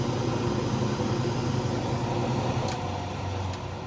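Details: Buck 91 wood stove blower fan after replacing fan switches, in automatic thermal mode on high: steady low hum with even rushing airflow, no rubbing or ticking; blower running smoothly.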